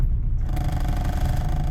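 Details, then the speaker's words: Honda Prelude under repair, engine running with the car in gear: heavy, uneven low rumble and rough shaking, panels rattling, won't really drive, worse when braking, milder now perhaps as it is warmer; cause not found. "when you put her in gear it like shakes pretty bad and doesn't really want to drive"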